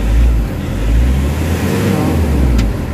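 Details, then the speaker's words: Nissan NV350 Urban Premium diesel van, treated with XADO for low power and throttle delay; deep rumble climbing and falling smoothly through blips without stumbling or missing. Engine now smoother, no longer hissing or running wild as before. "So iba na yung under kasi kanina, medyo smooth na yung under niya. Tsaka kung papakiramdaman mo yung engine RPM, medyo smooth na yung under ng engine, hindi na gaano nagwa-wild."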